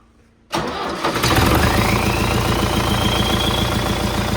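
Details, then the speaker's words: MTZ-82 tractor diesel, first start after fitting a TKR 6 turbo, intake and exhaust not yet finished: fires up into a rough steady idle and a high whistle rises in pitch as the turbo spools; healthy turbocharger whistle. "Чуєте, як свистить? Оце вже моща."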